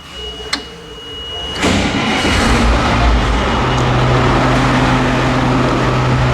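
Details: Caterpillar 225 BLC excavator diesel, first start after head reinstalled with new head bolts, valves adjusted, new ignition switch, coolant refilled (water leak repair): short click, then catches and settles into a steady, even idle with no knocks or misses.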